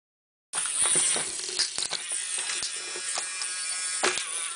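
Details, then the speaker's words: RC tractor drive motor power test against a luggage scale: high motor buzz with irregular sharp clicks after about 3–4 kg pull shredded a gearbox gear, now slipping over the broken teeth. "okay so this one got to about3 or4 kilos before it shredded the gear in there so it's now clicking uh you might be able to hear it so we obviously broke a gear in here somewhere"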